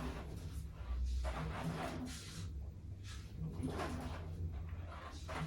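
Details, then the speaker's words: Samsung Flexwash upper washer on delicates cycle while filling, load of clothing; irregular metallic clanks as the drum turns, metal on metal, owner suspects a zipper striking the drum. "Okay, that's definitely gotta be the zipper. It sounds like metal on metal in there."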